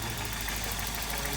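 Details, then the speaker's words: 1994 Volvo 940 Turbo, high mileage, cold idle just after startup after an AW71 transmission swap: light rapid knocking over a steady hum, thought to fade when warm; owner suspects worn pistons, cylinder walls or skirts. "yeah, you can hear it when it first starts up and it's cold. You can hear it. I think when it warms up, it goes away."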